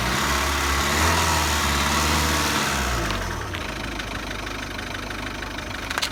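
Engine revs then drops back, with a fast, fairly even rattle of about four per second riding over it; source not pinned down.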